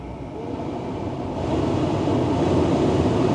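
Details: 2013 Tesla Model S P85 cabin blower stepped down to low with AC off, during heater repair (blower motor resistor and DC/DC converter replaced): steady, even rush of air growing a little louder, no rattle or whine; normal blower.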